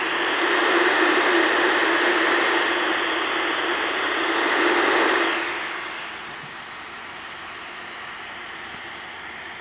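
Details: 1964 Johnson Messenger 3CB CB radio with its original RCA PNP germanium transistor refitted: loud steady rushing hiss from the speaker, caused by the noisy old germanium transistor.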